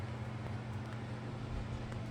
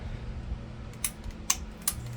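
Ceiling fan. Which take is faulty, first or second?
second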